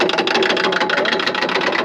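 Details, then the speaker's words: Ultra4 4400 Ford Bronco during King of the Hammers testing in Johnson Valley: rapid, even clicking ratchets several times a second from the front locker, which didn't used to ratchet like that; front differential clicking, cause suspected. "Sounds like a roller coaster going up top, baby. I know. Click, click, click, click, click, click, click, click, click, click. What is that front locker, Lauren?"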